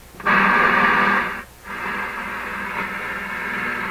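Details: RCA Victor 65U AM radio/record player, no capacitors changed, tuned around 640–740 on AM with unknown antenna: station audio over steady hiss, brief dropouts while tuning, no mains hum; receiving normally.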